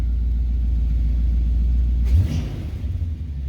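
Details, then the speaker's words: 1977 Corvette, Rochester Quadrajet 4-barrel, after adjusting secondary tension to cure its bog: deep V8 idle, then a throttle blip that rises cleanly and quickly, with no bogging or hesitation. "it's a quick response and no issues"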